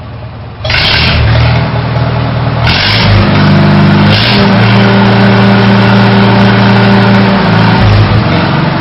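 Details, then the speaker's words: Farmall H tractor after carburetor adjustment, revving up from a 450 rpm idle: engine revs cleanly with an even throbbing exhaust, no surging or loading up; smooth acceleration. "accelerates you can hear a good smooth RPM there's no surging there's no loading up in the exhaust it's just good and smooth"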